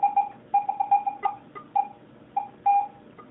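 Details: Garrett AT-Pro metal detector air test with a clad quarter at about 8 inches, reading ID 86. Repeated short mid-pitched beeps with a faint higher note each sweep give a clean, normal response at depth.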